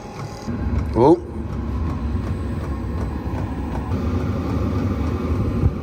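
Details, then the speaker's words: Chinese diesel night heater crudely set up for a workshop on a battery, after fuel-pump priming with the exhaust still cold: a steady low roar builds as it ignites and holds evenly with no popping or sputtering, so the burner has lit normally. "exhaust is cold so it's not fired up yet oh that sounds like a burner noise"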